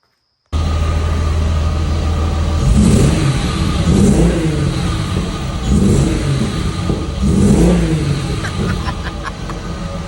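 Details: VR6-engined Cali MK1 VW, first runs after fixing no-crank (battery swapped for correct cold-cranking amps); four clean throttle blips rising and falling smoothly, no misses or knocks; engine runs strong, normal revving.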